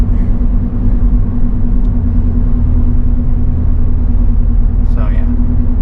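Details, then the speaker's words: 2008 Ford Escape after a front press-in wheel bearing, pad and rotor replacement: steady road drone with loud tire hum, and no bearing growl when shifting weight side to side. "still noises but that wheel bearing noise is gone honestly I think it needs tires"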